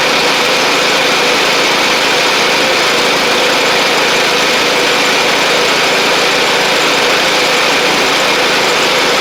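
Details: Sabre riding mower driving along after repair (new drive belt, blades, head gasket), about 32°F outside: constant, even engine drone, no surging, knocks or squeals. Smoke is residual oil from the old head gasket burning off. Normal running.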